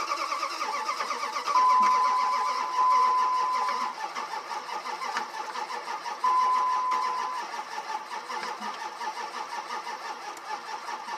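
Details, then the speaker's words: 2003 Dodge Ram 1500, 5.9 Magnum, no-start after pickup, stator and crank sensor were worked on: starter churns in steady rhythmic pulses over several long tries, engine never catches; cranks but no start, owner suspects timing is off, possibly timing chain and gears. "all right well as you can see still sound lighting timings off and chat time in rolled around three times"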